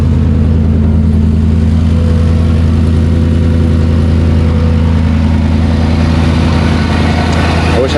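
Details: 5.3 LS V8 swapped into a Land Rover Defender 110, idling: smooth, steady, even deep rumble with no knocks or ticks; engine running cleanly.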